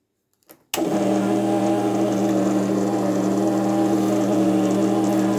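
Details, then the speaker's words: Consul CWC12A washing machine, noise complained of during spin, machine laid down on bench: switches on into steady buzzing hum with slight rattle; noise stops when drain pump unplugged, confirming noisy drain pump. "O barulho tá vindo da eletrobomba mesmo, ó."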